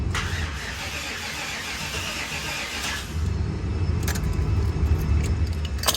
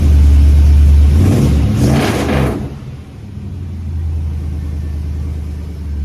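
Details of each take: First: Just for giggles, I know it won't start, but I just want to hear it crank. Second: And we got to hear it run. That's awesome.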